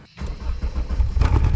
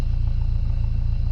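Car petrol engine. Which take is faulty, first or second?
first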